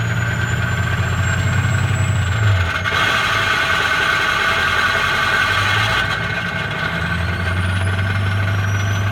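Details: Early 2004 Ford F-250 6.0 diesel idling: rough, gritty grinding over the engine rumble with a faint high whistle. Cause unknown.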